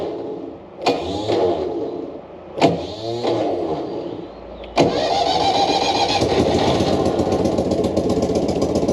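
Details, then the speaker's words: Abandoned air-transportable military platform vehicle, just salvaged and restored to running, started with clutch depressed and out of gear: two starter cranks with short catches, then it fires on the third into a fast, even multi-cylinder idle; healthy. "Okay, so we've got idling. Ooh. There we go, the roar of all those cylinders."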